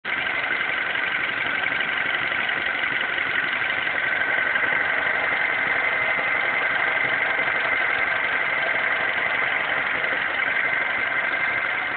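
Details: MINI Cooper S petrol engine with under 2k miles idling with a steady high-pitched whine over the running noise.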